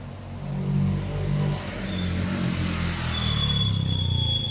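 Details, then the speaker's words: Suzuki GS500 parallel twin after carb clean, carb balance and fuel lines simplified from 5 to 1: a bike rides past with a lumpy low twin beat that rises and eases off smoothly; typical healthy parallel-twin note. "I reckon that's about the best that bikes ever gonna run they should go on they went into second straight away I think that's running well"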